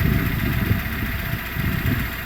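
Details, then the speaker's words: 2008 Renault Logan 1 warmed up at idle, 5:40 after cold start: even steady low idle with the earlier rustling chatter practically gone, smooth engine. "Всё, 5:40 прошло. Звук пропал практически полностью."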